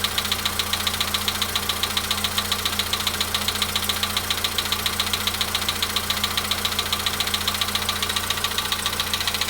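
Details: Volkswagen Polo Sedan at 93,000 km, cold start idle: a sharp metallic ticking knock at about two per second rides steadily over the idle; mechanical engine knock, cause unknown.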